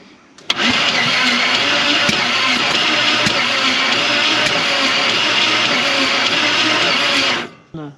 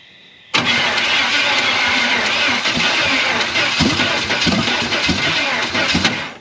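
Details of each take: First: Chevy 350 V8 in a 4x4 Ford Ranchero parked 30+ years, head bolts later found loose: cranking engine barely catches and gives a harsh hissing rush instead of firm beats; compression blowing out past the cylinder heads. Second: Chevy 350 V8 in a 4x4 Ford Ranchero, sat torn apart for 30+ years, rebuilt with flat head gaskets and run on open headers: it fires straight up into a loud, even rumble with good oil pressure. It sounds healthy, though a knock could be masked by the exhaust.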